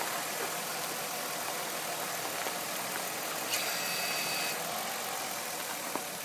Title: Strange noise when the wheels turn all the way left or right